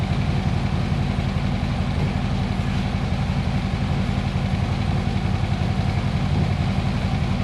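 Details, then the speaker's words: 2014 Harley-Davidson Electra Glide V-twin idling in neutral: a steady, even loping thump with no ticks or knocks. The oil light goes out, with no leaks or warning lights, so this is a normal idle. "Oil light goes out, we'll let her run, sounds really, really good."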